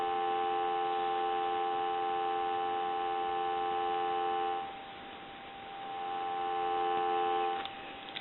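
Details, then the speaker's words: AE Monophone rotary desk telephone on a line analyzer, handset lifted: loud, steady dial tone clearly in the earpiece, then briefly fading; this receiver capsule is good, unlike the other, nearly shorted one that gave barely any dial tone. "and then this one has a noticeable difference so we know that this receiver is good"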